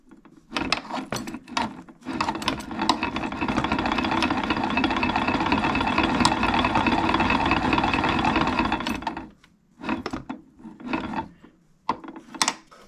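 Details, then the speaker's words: Kawasaki KX85 two-stroke with no rod play: held rev then short blips with a rough rattly bottom-end undertone, seemingly one side; owner suspects main bearings or a gear issue. "Well, it sure sounds like it's a main bearing issue potentially, or a gear issue of some sort."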